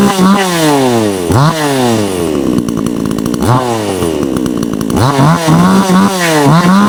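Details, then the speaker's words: Kratingdam (Black Bull) 6000 New two-stroke chainsaw, 2024 model, carburetor tuning just after a choke start: revs rise, then sag and stumble each time the throttle opens. Bogging attributed to the H screw set too far right; being turned left. "ปั๊บนี่ก็สตาร์ทเลยบัดทีนี่แบบนี้มันวูบนะครับขยับตัวไปุนไปด้านซ้ายนะ"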